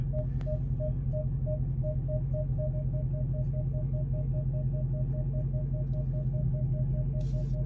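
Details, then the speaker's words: SS Monte Carlo: rapid, regular mid-pitched beeping near three per second over a steady engine hum, no crunching heard yet; the parking sensor warns of a close obstacle. "i don't have no crunching yet i don't hear any crunching oh i'm here beeping a lot of beeping though"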